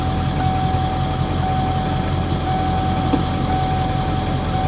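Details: 1995 Ford F250 7.3 Powerstroke turbo diesel 4x4 after glow plug and wiring harness replacement: settles into a steady low rumble with even beat and no stumbling, much better than before; normal running.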